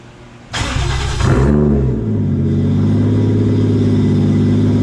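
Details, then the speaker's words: Toyota 1JZ VVT-i with a Tomei Arms MX8280 turbo, first run after 5 months: quick start with a brief rev, then a deep, even idle with no knocks or misses; the motor is running good, no problem. "Next week is next week, but you know, at least I know the motor is running good, no problem now."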